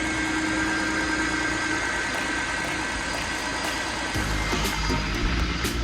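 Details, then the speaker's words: 2007 Jeep with a newly installed Jasper engine, after fixing swapped cylinder 3 and 5 connections that caused a miss: steady, even idle with a smooth rumble and no misfire stumble. "Oh, we're purring like a kitten now. Yeah, that's much better."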